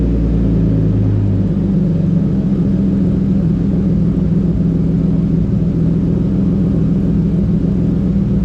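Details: BMW E36 325is with new custom exhaust and stainless resonator but no muffler: heavy booming low drone swelling as revs rise, loud and raw; owner finds it too loud and is ordering a muffler tip.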